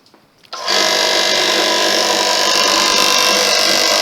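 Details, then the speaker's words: Free air compressor after fitting a homemade head gasket, with head bolts left slightly loose for testing. It starts and runs with a smooth, steady buzz and no rattle, so the piston isn't hitting the valve plate and the gasket is thick enough. "which it doesn't so the piston isn't hitting that head that plate so that's okay in other words that gasket is thick"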